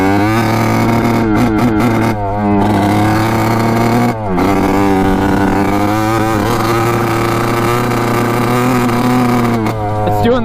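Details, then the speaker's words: 1986 Kawasaki KX125 two-stroke dirt bike on its first ride, after the engine mounts were tightened; revs waver and drop out with a blubbery note, running poorly. The owner suspects a fouled plug or a small gas cap vent. "same thing so running like crap i don't know why it's like i fold the plug or something already"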